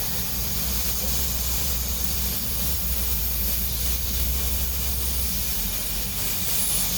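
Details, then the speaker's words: Motorcycle tyre with puncture plugged using repair kit, being inflated at airline: steady hiss of escaping air alongside airline rush; plug failed to seal, likely because it was plugged with no pressure in the tyre; new tyre needed. "so this plug hasn't worked you can hear the uh you can hear the air leaking out from there well new tyre needed so that's the end of the road as far as this tire is concerned"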